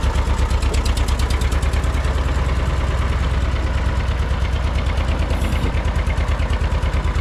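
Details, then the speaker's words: John Deere 630 tractor found in a barn, just started at idle with good oil pressure: low, steady idle with a sharp tick about three times a second on each pulse; suspected exhaust manifold leak. "Sounds like we got a little bit of a ticking noise, too. Could be a manifold leak. That's kind of what it sounds like."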